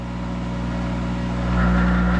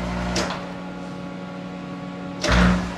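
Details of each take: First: Monarch 10ee lathe electronic drive, speed compensation trim pot being adjusted by screwdriver: steady low motor hum that rises and swells as speed climbs; spindle surging because compensation set too high, being backed down. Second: Monarch 10ee lathe, electronic variable speed drive warmed up, lever thrown from forward straight to reverse at about 800 rpm: spindle hum dies away, anti-plug relay brings spindle to full stop, brief lever clunk, then drive picks up without gear slam; normal reversal.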